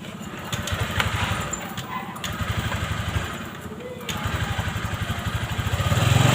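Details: Vario 125 scooter that wouldn't take throttle, after the injection-service fix with readings set to 40: a small single pulses steadily, then revs climb cleanly toward the end without stumbling; normal revving.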